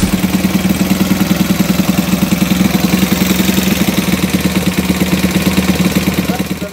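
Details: Alfa moped small single-cylinder engine idling with a quick, regular light tapping on every beat. Valve clearance is suspected, to be adjusted using a 0.05 mm feeler gauge; unconfirmed.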